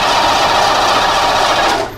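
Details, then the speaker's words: Ford Bronco with EEC IV ignition, distributor replaced weeks earlier, key on, cranked with jump starter: fast continuous cranking for about two seconds without firing; crank no start, no spark seen at the spark gap even with the air gap closed. "what do we got nothing so now what I'll do I'll close this air gap put it to the same spot watch it again nothing"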